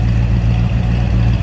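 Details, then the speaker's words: 1966 Ford Fairlane 500XL convertible, 390 V8, just after a cold start: deep, steady, even rumble at idle with no misses, knocks or ticks; idles smoothly and healthily. "so we'll turn some heads with the way it looks and the way it sounds"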